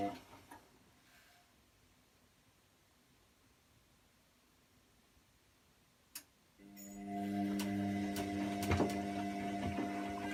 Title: Wash and spin and clicking noises